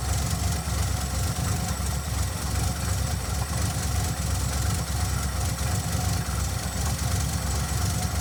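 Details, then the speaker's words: 1982 Ford carbureted V8 after fitting a fuel pressure regulator, pressure now about 6.5 psi versus 9.5 before: deep, even rumble holding a steady idle, no longer loping hard or blowing black smoke; normal idle. "it's not loping as hard and it's not blowing black smoke out such a little idol"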